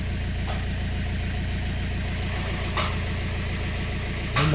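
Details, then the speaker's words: BMW 1 Series 118d/120d with N47 2.0 diesel, oil pressure light on: fast, steady knocking at idle over diesel clatter, very bad bottom-end knock; engine possibly dead, cause not yet confirmed. "this one has a two liter diesel engine with a very bad knocking sound no brake pedal and oil pressure light so it's my it might be dead"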